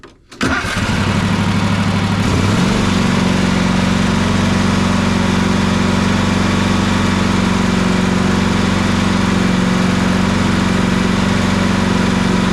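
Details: Toro Titan MX4880 zero-turn with Kawasaki engine, good battery at 12.58 volts: starter spins briefly, engine catches within two seconds, settles to steady even idle, no misses or knocks; regulator then outputs 13.93 volts. Normal start and idle.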